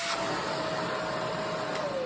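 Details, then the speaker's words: Shark vacuum under suction diagnosis, checked section by section for clogs: steady, even motor whine with clean rushing air and no added pitch rise that would signal a clog; this section is clear and suction is normal. "so far there's no clog here okay right this part everything is good"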